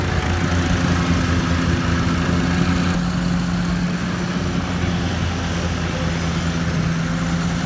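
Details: 2013 Walker T23 mower, left in a paddock for years and repaired: steady, even engine drone while mowing under load, no knocks or ticking. Normal running.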